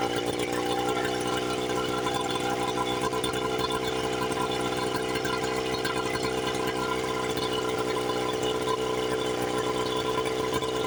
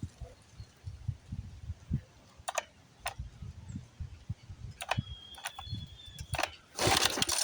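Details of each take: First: 1976 Johnson Seahorse 9.9 two-stroke outboard, first run after 30+ years in a garage, after repairs, on a flush attachment. Steady, even buzz at constant speed with no misses or surging, carburetor not yet adjusted; running cleanly, though no water yet comes from the exhaust. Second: 1976 Johnson Seahorse 9.9 outboard, 30+ years stored, choke on, in neutral. Uneven pull-starts with a rattling rope and short sputters that never catch; owner suspects fuel starvation from the carburetor float, and the carburetor is pulled next. Choke rod found out of its slot.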